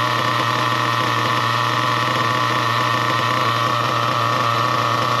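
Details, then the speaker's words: Nitro RC car engine idling after the low-speed needle was tuned spot-on: a steady, even buzzing idle with no stumbles or surges and a correct mixture. A pinch test then raises rpm and it shuts off at 4 seconds. "Perfect. That's actually bang on. Now, that is really, really good. It's idling nice. It sounds good."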